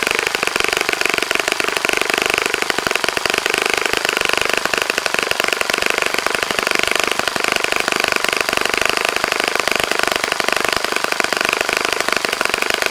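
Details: Saito FA-65 model engine on its first run after rebuild, APC 12x6 prop, Morgan's Omega 10% fuel, Fox Miracle plug, heavily primed to start; steady high-pitched rapid buzz, even note at full throttle, no misses or sag; normal full-throttle run.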